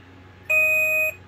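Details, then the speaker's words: Alaris IV infusion pump booting on mains power without its battery pack (battery suspected dead) gives one steady, high-pitched half-second alarm beep in a quiet room at startup; the beep's cause is not confirmed. "oh God I have spent so many hours listening to those beeps"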